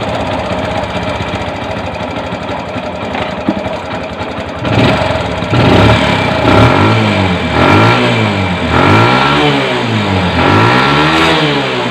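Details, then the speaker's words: Bajaj CT 100 single after spark plug and tappet clearance fix: uneven idle, then revs rise and fall with loud metallic chatter throughout, identified as timing chain guide. "Okay yung ganyan mga pre na ingay. Timing chin chin guide yan. Ganyan malakas natin"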